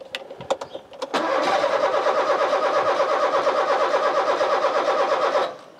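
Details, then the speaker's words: Rover 216 convertible: steady starter churn, about three turns a second for four seconds, never catching; cranks fine but won't fire, cause unknown. "it's going to use the theory that if i leave the car long enough eventually it will start"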